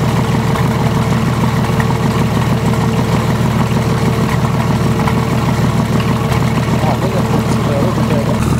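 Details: VM/BMW D190 marine diesel, first start after rebuild following a broken valve: uneven, lumpy beat that stumbles and hunts. Leaking front injection pump shaft seal draws air, with much air in the diesel return hose.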